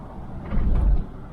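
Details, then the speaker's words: 2004 Chevrolet Trailblazer, $500 flip with check engine light on, driving over railroad tracks: one dull, heavy thump, a banging from the left front; the owner says not the hub, possibly the strut, unconfirmed; silent on normal road. "there's a little banging on that left front it's not the Hub though uh just banged over the railroad tracks and it banged on my property I don't know it could be the strut or something"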